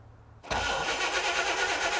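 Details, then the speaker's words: 1960 Chevrolet El Camino unrun since 1998, old points ignition; cranks at a steady even churn but never fires, no spark: the coil gets 11 volts in but no spark comes out, and the coil may be dead. "So great news, engine cranks over, does not fire though, no spark. We check power at the coil, we have it. We have power into the coil, but no spark coming out of the coil."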